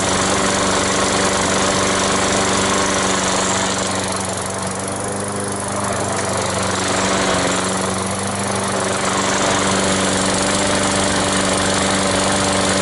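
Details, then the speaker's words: Sears lawn mower after draining water-contaminated fuel and refitting the carburetor, no parts needed: steady even single-cylinder putter with no surging or misfire; running healthy. "and let's see what it does one two three four it's making a little more sound which is a good sign"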